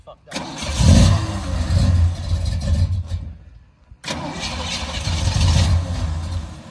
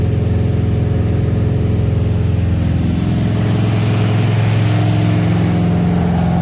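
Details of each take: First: Small-block "Pontiac" 327 V8 after running out of gas: two long cranking bursts, the starter spinning it over without it catching. Crank, no start from fuel starvation; even after refuelling, a carburetor fault is suspected. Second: Freshly built small-block "Pontiac" 327 V8 about 15 minutes into break-in at fast idle, at 190–200° with solid 50 psi oil pressure: a loud, steady, even beat with no knocks or ticks. Normal high-idle break-in.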